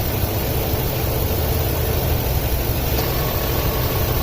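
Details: 2004 Ford F-250 5.4L at idle, code P0306 cylinder 6 misfire after customer fitted new plug and coil; deep idle rumble with uneven stumbling beat; spark tester showed very weak coil, replacing it cured the misfire.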